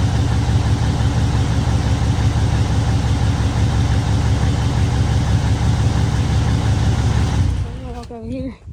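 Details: Truck diesel after an in-frame overhaul and injector replacement; an even, steady idle with a smooth low rumble and no miss or knock until the sound cuts away near the end, oil, fuel and air pressure and alternator good.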